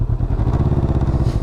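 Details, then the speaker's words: 2020 Can-Am Ryker 600 after a rear collision: with gentle throttle the drive grabs and takes up the slack smoothly, even engine pulse, no clunk. A handful of throttle produces a clunk; smooth drive engagement. "yeah if you easy on it it grabs takes up the slack smoothly"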